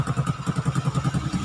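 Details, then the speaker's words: Honda XRM 125 after CNC bore, modified piston and ported head, air cleaner fitted: regular thumping exhaust pulses about six a second, evenly spaced, no tick or knock; very quiet healthy idle. "So, ayan. Okay na. All goods na. Napakatahimik na makina."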